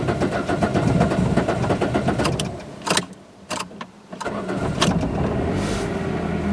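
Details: Peugeot 206 with thermostat stuck partly open, spiky throttle position sensor signal, missing power steering pressure switch: cold engine runs rough and uneven, nearly dies mid-clip, then recovers; hard cold start, cause not confirmed.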